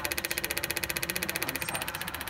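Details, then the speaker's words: Boost-control actuator clicks rapidly and evenly over the running engine after a new sealed Weather Pack plug was fitted. The plastic loom was moved off the hot side. The actuator is cycling normally. "Don't have to worry about anything. It's sealed. And as you can hear, it's clicking away here."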